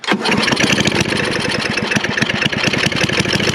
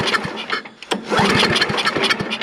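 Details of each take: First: Snapper I 422 snowblower, previously non-running with bad gas and a suspected dirty carburetor, restored: starts, then settles into a steady chugging idle that doesn't miss or hunt; a normal, confident idle. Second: Snapper I 422 snowblower with a dirty carburetor suspected from bad gas, pull start on primer and choke: the engine fires, sputters irregularly for a couple of seconds, then fades out; it starts but won't hold an idle.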